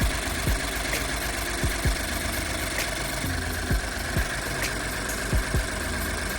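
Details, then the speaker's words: 2013 Ford F-150 3.5 EcoBoost, towed in stalling, started after adding fuel: rough lumpy idle with uneven thumps and visible shake, misfire heard through exhaust from dead cylinder 3. "You can hear the misfire through the exhaust. You can see the shake."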